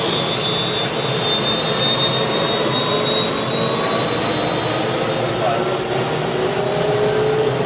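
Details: UH-1 Huey helicopter turbine start after rebuild, following clicking from the rear; steady high whine climbing smoothly as it spools up, clean light-off and run-up: normal turbine start.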